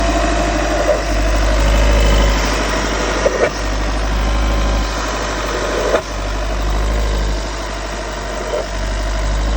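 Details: 2016 VW T6 diesel at idle: steady rumble with a sharp click or tap every few seconds; source unidentified.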